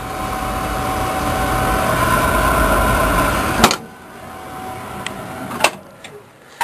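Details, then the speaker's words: Lowboy oil furnace in a crawl space after a new burner motor was fitted and the squirrel cage moved back off the motor: steady burner roar for a few seconds, then it drops away with sharp clicks; lights and fires, described as a dirty flame. "crank her up oh look at that poof poof poof poof nice dirty Flame"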